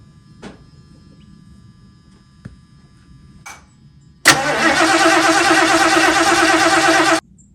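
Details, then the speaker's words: 1977 Mercury Cougar XR-7 after C4 transmission install: quiet lead-in, then about three seconds of steady cranking that never catches; carburetor wet with fuel, later found no spark. "I don't know what's happening. I don't know if we lost spark. It sounds like the carburetor's squirting."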